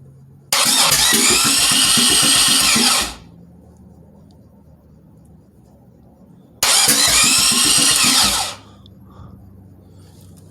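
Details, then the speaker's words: Engine fitted with a Comp Cams XPZ cam and machine-shopped heads, mated to the trans on a 2007 Grand Prix subframe, cranked via the starter relay wire with a brand-new starter. Two steady cranking bursts with even compression pops; normal cranking. "definitely kicking it over. I'm hearing it. It doesn't sound like it's... Man, whenever I turn it over by hand, it's like super hard, but I guess that starter just being brand new, it's just no problem for it."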